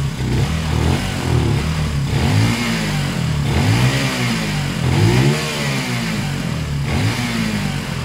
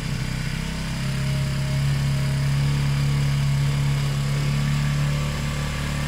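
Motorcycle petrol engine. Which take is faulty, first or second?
second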